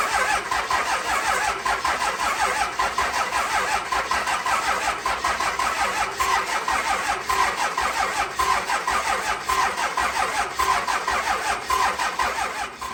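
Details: Freshly built 6.7 Cummins swapped into a second-gen truck, first start: the diesel idles with an uneven lope and a stumble about once a second. One cylinder is dead from a bad injector.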